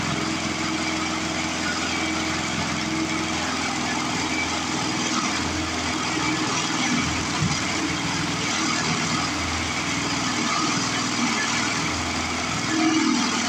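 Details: Older 22-inch Murray push mower, 3.5 hp Briggs, with a new blade someone fitted. The small single runs rough and loud with an uneven, shaking clatter at steady speed; the cause is a bent crankshaft, confirmed bent.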